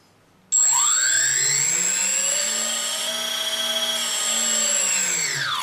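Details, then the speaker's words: 3D Robotics quadcopter with APM 2.5 board and 3DR 20 A ESCs during ESC calibration step 6, transmitter fed straight to the ESCs: motor whine climbs smoothly, holds, then falls evenly; throttle progressive and healthy. "so now I am step 6 of calibration I have calibrated the asks and when I move the throttle stick we hear very well that I have a progressive throttle so this is at calibration moment"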